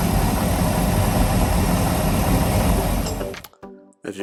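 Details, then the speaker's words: 1997 Maxum 2300 SC boat engine just home after two months of shop repairs with many new parts, following earlier no-start trouble: strong, steady, deep roar with an even beat for about three seconds; normal running. "can see motor is running very very strong of course that's not without dropping a little bit of money in this project to bring the boat back to I guess what you call it former glory"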